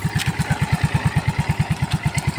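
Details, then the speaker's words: Yamaha Mio i 125 S scooter after overhaul replacing both crankshaft bearings (one had failed): steady even idle thump, about eight pulses a second, no knocking or rumble; now quiet, starts on one click. "okay na yung tunog niya mga paps, hindi na siya maingay kasi nga napalitan na yung bearing niya sa sigunyal."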